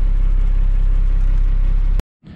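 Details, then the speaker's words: 1995 Dodge Ram 2500, 12-valve Cummins diesel, 5-speed 4x4, on a cold day after replacing failed batteries: it turns over much better, then a deep, steady diesel rumble with an even beat and no misses before shutoff. "it's kind of a cold day so should turn over pretty good still though oh nice much better"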